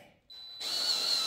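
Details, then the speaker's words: Drilling a pulled headbolt hole in an aluminum LS6 block (C5 Corvette rebuild) for a Time-Sert style insert, air compressor in the background: steady high whine with no chatter or load; bit lost all resistance at the hole bottom, flattened tip no longer cutting. "bit here how it lost all his resistance that's at the bottom of the hole and since he flattened out the tip it won't keep Drilling"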